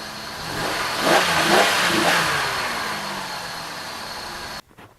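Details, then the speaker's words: Oldsmobile Silhouette van, sat for a while with a dead battery, jump-started from a truck. Petrol engine revved through a couple of blips, climbing smoothly and settling back cleanly with no knocks or misses, before shutdown. Running quiet and healthy; alternator works, battery dead. "That's pretty quiet, running pretty good. Let's rev her up and see what she sounds like."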